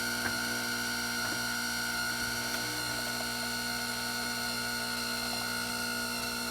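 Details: Gaggia Anima espresso machine running: steady high-pitched whine with a sharp tone near 1.5 kHz over the motor; abnormal whining noise, cause unclear.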